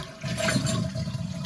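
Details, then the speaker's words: Toilet flush after replacing the handle and readjusting the flapper: short, full rush of water with a steady swirl, flushing properly now. "Yes. Now it's all looking correct. So far, so good."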